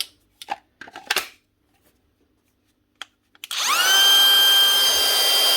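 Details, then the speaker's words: DeWalt DCW600 18V cordless trimmer after switch repair: motor spins up to a clean, steady high whine and holds even speed; the fault was a dirty contact on the switch, now running normally. "There we go, actually did. Surprisingly enough, it actually did. Sweet. It actually was a dirty contact on the switch."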